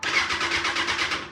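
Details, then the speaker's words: 2016 Kawasaki ZX6R that the seller couldn't get running for two months, just after reconnecting connectors and the ignition switch plug: quick, even cranking pulses with the starter spinning the engine freely, no grinding or clicking, normal cranking. "so we actually did it guys we actually got this thing to crank"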